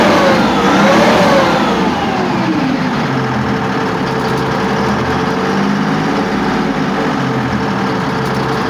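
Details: Test run of a YPR 756 armoured vehicle engine after repair: diesel revs up, then settles back to a steady, fairly even run with no knocks or grinding standing out.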